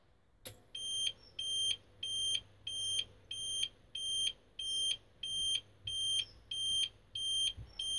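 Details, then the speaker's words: APC Smart-UPS 750 running a battery self-test on its old batteries, worn from being stored somewhere hot: high shrill beeps about every three-quarters of a second as it switches to battery; test cancelled, batteries failed despite a full charge. "lights come on and it's just been like nope started beeping and it's just canceled the test so even though these batteries are charged up again and going they will not gone in this ups sufficiently unfortunately"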